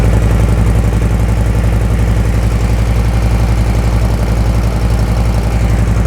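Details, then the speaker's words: Brand-new 2024 Harley-Davidson Softail Low Rider S V-twin, cold, just after slip-on TAB Performance 2.25" exhaust install: deep, even loping idle near two pulses a second, strong and steady, no ticks or misses; normal idle. "So we're gonna start it. This is gonna be a cold start, first time started. I'm kind of excited, kind of nervous."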